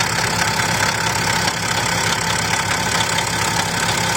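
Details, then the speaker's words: BMW X6 with a noise from the front of the engine, idling with the drive belt removed. A loud rough rattle at about two per second persists over the idle, seemingly from the exhaust/turbo side. Abnormal engine noise, cause suspected, not confirmed. "So now we're just gonna start taking the belt off, and the noise still there. So it's coming from this exhaust, from this turbo side."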